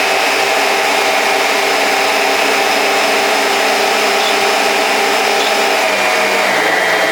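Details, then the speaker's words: Old Kenwood Chef KM210 mixer, reported as having speed control not working and always running flat out, though the actual fault differed. After repair, run partly reassembled, the motor gives a steady, even, high-pitched whir with no knocking, grinding or surging. It is fixed and healthy. "It's not particularly thrilling, but you can hear. She's fixed. Not bad at all."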